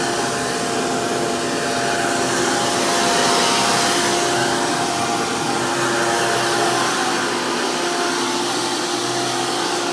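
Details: 2002 Hoover PowerMax II U5246-940 upright vacuum with 12 amp Elite motor, after motor work: loud, steady high whine with strong rushing air, even throughout, no rattles or surging; normal healthy running.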